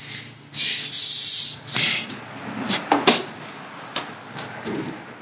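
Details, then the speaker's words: Astro Pneumatic 7856 air-powered cooling system pressure tester on shop air, set to about 15 psi: sharp, loud hiss for about a second, then clicks and handling; air apparently leaking at tester connector, suspected, not confirmed. "if it's not linking you can hear this coming out of where the leak is or you can give the tubes a little shake and see where it squirts or hisses"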